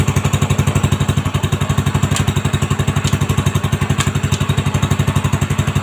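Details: Honda Supra X 125 just after fitting a new cylinder block set with a standard-size piston and reinstalling the exhaust and carburettor: even, steady putter at idle with a clean regular beat and no rattle or knock; normal idle.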